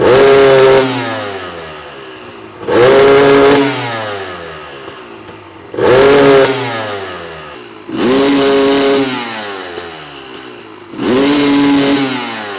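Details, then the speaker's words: Honda CR250 two-stroke supermoto with Mikuni carb, free-revved: at three-quarter to full throttle it will not rev and sputters out rather than bogging lean, no power up top; owner suspects the main jet is too large, running rich. "when I get to 3/4 in full throttle the bike will not rev and it's not a bog like a lean condition like I said it's it's as if it's sputtering out I'm sure the main jet is too large"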